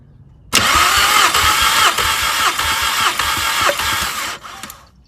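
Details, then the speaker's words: Mk5 VW Golf GTI with cylinder 3 misfire, compression test with fuel pump fuse 27 removed: even quick cranking about three strokes a second, no skips; cylinder 1 reads 190, cylinder 2 195, good compression. "so that is uh 190 so that's pretty good cylinder number two 195 on that one so again pretty good compared to what I've seen online"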